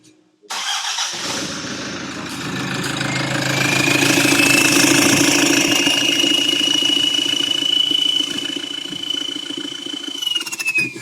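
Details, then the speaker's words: Toyota Hilux drag build, first start after fitting high-performance valve springs and valve stem retainers: engine settles into steady idle with a clean, high turbo whistle rising gently and holding; healthy turbo. "Hey, she's alive. He's alive. Hear the nice whistle from the turbo."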